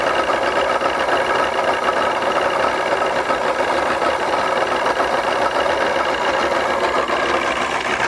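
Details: 2001 Mercury 200hp EFI outboard on a ProCraft Fish and Ski boat that will not go past 7 mph under load, running after the spark checker was removed. It has an uneven, stumbling, raspy beat. Mechanic doubts the stator and suspects a fuel issue; not confirmed.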